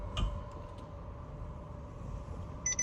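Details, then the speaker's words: Tesla Model X, driven over a year, after sitting about 5 months: single sharp click over road hum while pulling away, from driver-side rear wheel, owner suspects half shaft/axle; half shaft clicking. "That click right there was the noise I'm talking about."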